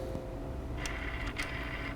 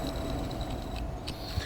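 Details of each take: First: VGT turbo actuator on a benchtop calibration tool after recalibration: steady motor hum with short crisp whirs as it drives through its full travel and back, smooth with no binding or grinding. Normal full-range sweep. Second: Failing VGT turbo actuator on an ATS benchtop calibration tool, held near the mic at the motor end: steady mid-pitched electric buzz with faint high ticking from worn motor bearings, though it still sweeps fully.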